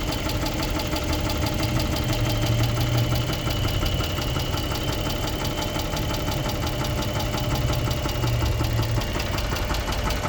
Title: 2006 Chrysler 300 3.5 V6 engine knock